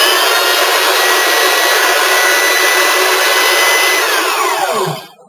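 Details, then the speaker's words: Rebuilt older sander fitted with new brushes, fired up after reassembly and checked for growling, clacking or scraping: a smooth, steady high-pitched whine, then an even coast-down when switched off. The motor runs normally. "so we're going to fire it up once sounds good it comes in a nice nice mid stop no clunking the scraping"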